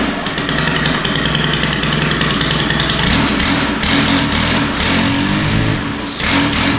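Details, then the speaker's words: Stihl FS 91 R line trimmer after carburetor cleaning, full choke and primer: engine revs up and down with crisp pickup and smooth top end, but seems to idle a little too rich and needs carburetor adjustment. "oh all right well it's sounding pretty good but uh I think it needs a little adjustment"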